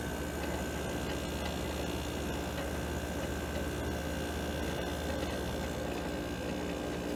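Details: Window AC unit started on cool after the thermostat clicked: steady low compressor hum with even fan rush and a faint whine, no rattles or cycling, running normally and getting cold.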